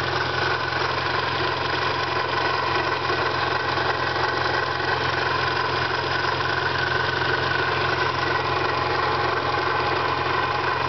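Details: 1991 Eagle Talon TSi with a small 16G turbo and adjustable wastegate, idling: a light, fairly regular tick about three per second; owner suspects a failing pulley, valves, or a stretched timing belt (belt due for replacement).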